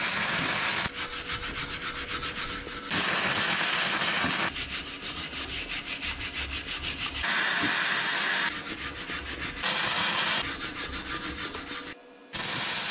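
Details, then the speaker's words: Vevor MIG-250 running gasless flux-core wire: bursts of steady, even frying crackle a few seconds long with no sharp pops between; clean wire feed and a weld with no spatter lumps. "Nüüd on hea... klimpe pole ollagi... sellega on vist gaasita traadikeevitus klaar"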